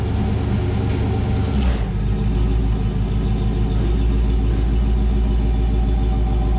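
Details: 1984 Camaro Z28 L69 HO V8, just after fitting a new exhaust with straight muffler, angle-cut tailpipes and ball flange: deep, even rumble settling from a blip into a steady, lopey idle, no leaks, ticks or rattles; normal exhaust note.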